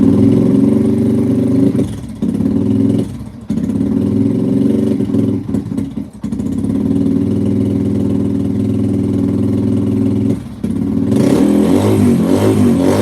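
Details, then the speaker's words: 2005–2009 Yamaha TTR-230, on starting fluid, pilot mixture screw opened: runs rough and bogs or shuts off each time throttle opens, cause unclear; engine stumbles when throttle opened. "make little thing it just shuts off when you start giving it gas huh interesting"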